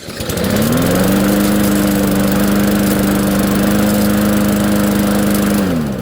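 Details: Free broken lawnmower with the pull-start assembly broken, started by spinning it with a drill plus starting fluid: catches, holds a steady, even buzz without stumbling, then winds down, running well.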